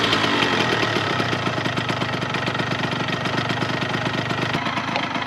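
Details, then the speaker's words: Restored 26-year-old Yamaha RZ50 two-stroke idling with a quiet, busy, crackly popping beat. There is a small exhaust leak and white smoke with a burning two-stroke oil smell. "Es un sonido bastante silencioso y agradable, pero lo conozco. Es como ese sonido de alta temperatura."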